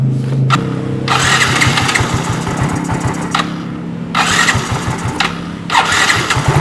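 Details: Fuel-injected automatic motorcycle whose complaint is that it won't idle and its rpm won't rise on throttle: the single cylinder fires unevenly and stumbles as if about to stall; throttle-body sensor dirt is suspected, not confirmed.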